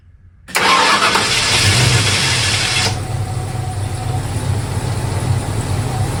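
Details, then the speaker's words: Ford 302 5.0L roller V8 started after swapping in rebuilt OEM roller lifters to cure clatter on cylinder three, with the oil system primed. It catches at once into a smooth idle with no lifter clatter or ticking. "Okay, it's running and it's not clattering."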